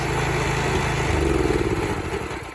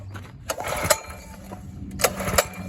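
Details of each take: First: 1970 Sears 10XL garden tractor after clutch engagement, kill switch tried: small engine runs with a steady, even low thump, no misses or knocks, then eases off smoothly; runs pretty good; normal running. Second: 1970 Sears 10XL garden tractor, small engine just started: weak low idle with irregular clattering bursts about every second, loping and stumbling; owner thinks it wants a little throttle, cause unconfirmed; uneven idle.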